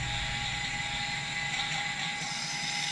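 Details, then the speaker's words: Mini FPV freestyle quad after fixing a bad connection on an extended motor wire that caused twitching: steady high-pitched whir from all motors at even speed, no stutter; motors running normally. "so it turned out all it was was a bad connection on the extended wire"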